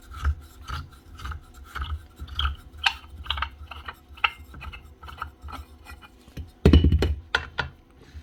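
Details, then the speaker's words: 1999 Makita 9069 9-inch angle grinder head turned by hand gives a rough, scratchy rasp on every turn; bearing in the gear head shot, gears possibly damaged too. "that head doesn't sound good a bearing gone there I imagine there could be gears"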